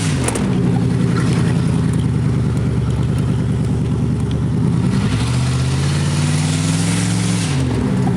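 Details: 1986 Chevrolet Camaro IROC-Z, exhaust pipe broken where the Y-pipe forks: loud, raspy, unmuffled roar with a rough blatting note rising and falling with revs; exhaust leak ahead of the mufflers, to be welded.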